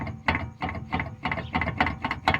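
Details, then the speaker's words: 2015 Toyota Highlander front wheel rocked by hand: sharp metallic clunks about three a second, wheel wobbling, from a missing lower ball joint bolt and two loose nuts; fixed by installing the bolt and tightening the nuts. "That's why the vehicle is clunking a lot and the tire is wobbling like this."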